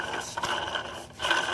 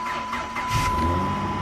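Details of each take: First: 2008 Dodge Charger with crank-no-start, leaking water pump: gritty, sandy scraping with rough ratcheting feel as the pump shaft is worked by hand; water pump bearings worn out. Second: 2008 Dodge Charger 3.5L V6 after crank-no-start repair, serpentine belt and coolant refilled: starts within a second, smooth steady idle, even low rumble, no knocks or misses. Normal start and idle.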